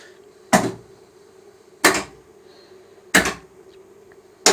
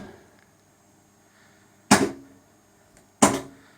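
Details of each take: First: Sega/Stern pinball power driver board after repair, coil test stepping through coils that were previously out: crisp solenoid clacks about every 1.3 s with a faint buzz; all coils now working normally. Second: Sega/Stern pinball power driver board coil test: only two sharp solenoid thumps about 1.3 s apart with silent gaps, several coils and flashers out; owner suspects a coil shorted through the lamp matrix.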